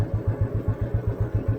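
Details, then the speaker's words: 1988 Royal Enfield Bullet 350 CI single lugging slowly in 4th/top gear on a ride, with deep even thumps about seven a second; no knocking, only a slight loose-chain slap. "Knocking പരിപാടിയൊന്നും ഇല്ല കേട്ടോ, ആ ചെയിൻ്റെ ചെറിയൊരു loose അടി മാത്രമേ കേൾക്കണുള്ളൂ, വേറെ ഒരു വിഷയമില്ല കേട്ടോ."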